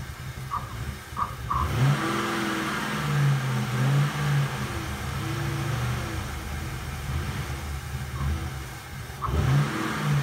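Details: Engine after a few days at -23 °C (-32 °C with wind chill): cold engine surges and races up and down on its own with nobody on the throttle, revving by itself the whole time.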